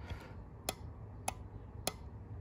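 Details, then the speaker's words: Four-pin relay in an ES192 Diagnostic Relay Buddy 12/24 V tester: crisp, evenly spaced clicks about every 0.6 seconds as the relay pulls in and drops out, with the green light on; a good relay. "it's clicking and then the green light comes on so that's a good one"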